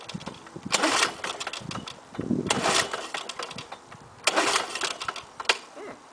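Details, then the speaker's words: 1984 Lawn-Boy 4630 mower with an F-series engine, cold start at 15°C with the fuel valve open. Several pull-start bursts of rattly cranking and it never catches; the owner suspects a bad ignition coil. "okay started well last year oh well his tisk probably the ignition coil is bad on it yeah 4630 going to have to look at that one"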